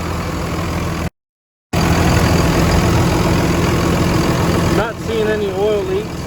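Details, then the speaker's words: Dodge RAM 2500 Cummins turbo diesel, after turbo center-shaft replacement (was leaking oil with shaft play): steady idle with faint even turbo whistle over the clatter; spins freely. "Pop this cover. You can hear it spin a lot better. Building a lot more boost than it was."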